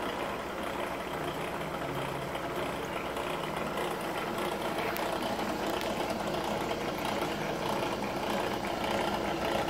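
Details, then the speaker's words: ACME handsaw vise and filer running during first inspection before clean-up: an irregular knocking rattle about twice a second over its hum. The pulley is slipping because its set screw is missing, with wear where the screw sat. "now for the bad news that noise that noise is because well you can't see down in there but it's missing a set screw and it looks like that's forum only where the set screw was"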